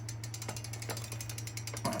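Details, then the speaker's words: Super73 ZX electric bike: a steady hum with a fast, even ratcheting click as the wheel spins; owner suspects the bearings are going, unconfirmed. "but yeah it definitely sounds like the bearings are going"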